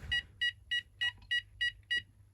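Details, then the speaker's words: Texecom Veritas Excel alarm panel sounding evenly spaced high beeps, about three a second, counting out the 9-beep tamper fault code (1–8 beeps zones, 10 power issue). "tamper, as you can hear, and you get 10 for a power issue, such as a dodgy battery."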